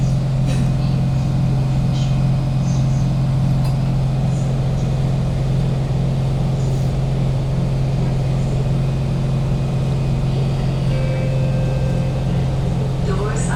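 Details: Kawasaki Heavy Industries C151 trainset 067/068, East-West Line, recorded in carriage 1068 at door A4/B4 (No. 2 end): loud steady low hum with constant airy rush from excessively loud air-conditioning and ventilation, loudest when decelerating into stations and at times subsiding only at full stop.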